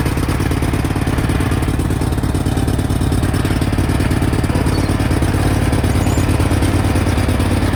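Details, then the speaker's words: 1991 Cub Cadet 1861 tractor, twin-cylinder engine, moving off pulling a loaded wagon: loose, uneven chuff with some clatter at steady speed and a little smoke, not oil burning; fuelling off from a gummed-up, badly misadjusted carburetor. "if you see the it's smoking a little bit that's not burning oil it's just the carburetor is way out of whack and all gummed up and stuff"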